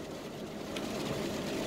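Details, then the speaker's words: 2004 Chevy Tahoe after front differential replacement for a whine under throttle near 40 mph: steady road and driveline hum at about 40 mph, no whine or growl; front differential now quiet. "all right guys we're driving around the Tahoe see if we fixed it and I think we got it fixed that front diff did it we're doing 40 right now there's no sounds"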